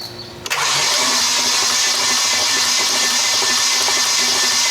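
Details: Nissan 240SX KA24DE, blown engine that won't run, cranked on the key for compression test without plugs: starter spins steady and fast with no compression pulses and no catch; cranks but never fires.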